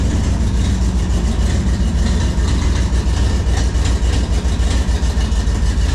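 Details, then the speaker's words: Thunder Stock dirt-track race car V8 after a new dual exhaust install: loud, lumpy rumble with a rapid, loosely regular tick on the exhaust pulses from a header leak; carburetor also needs tuning. "Yes, we got a header leak. You could hear it. And the carburetor needs tuning."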